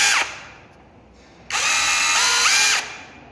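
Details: Mini cordless brushless rotary hammer drill on Makita 18V battery, switched to plain drilling mode: two short bursts of high even motor whir spinning up and winding down cleanly, no knocking or grinding; healthy.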